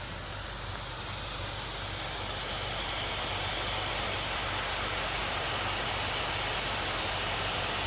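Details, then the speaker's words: MSI GE76 Raider 11UH gaming laptop (i9-11980HK, RTX 3080) idle, untouched for half an hour: steady loud airy fan rush swelling slightly over eight seconds; fans racing at idle with no load. "it's just booting off this kick you're not gonna hear the fans what is it doing like why is it kicking off i haven't touched it in like half an hour"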